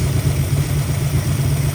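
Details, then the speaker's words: 1965 Mustang 289 V8 with oil now reaching all rocker arms: smooth, even low idle burble with no tick or tap, ticking noise fixed, running its best. "Oh man, that sounds way better. I think we have officially fixed the ticking noise."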